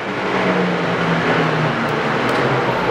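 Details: Leblond 19.5 x 105 Servo Shift engine lathe, D16 cam lock spindle with a 12-inch 3-jaw chuck, running at its top speed of 1000 rpm: smooth, steady whir with a faint low hum and no knocking, grinding or whine. Healthy spindle.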